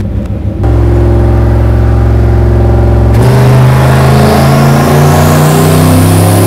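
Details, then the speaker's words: Lincoln Mark VIII turbo V8 full-load dyno pull with added timing at about 87% injector duty cycle: deep roar rising smoothly and evenly with no misses, knocks or rattles, making about 500 wheel horsepower; healthy. "dude it sounds nuts it sounds so good"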